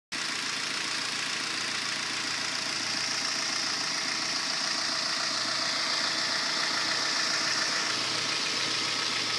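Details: 2010 Kia Forte at idle: a faint, fairly quick knock under the engine hum, keeping pace with it; cylinder #3 connecting rod bearing spun, a milder rod knock than usual and hard to capture on camera.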